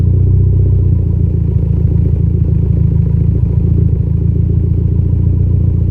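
Low idle rumble with an uneven beat and the occasional stumble, milder than a steady miss: a light misfire at idle.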